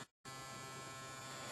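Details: HPS grow light just switched on and still heating up. A steady electrical buzz with a thin high whine from the ballast/lamp, louder than before; hoped to fade once warm.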